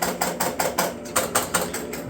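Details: 1971 Williams Klondike pinball machine, restored after years stored in a barn: quick even run of mechanical clacks, roughly five a second, as score reels reset to zero; reset working properly.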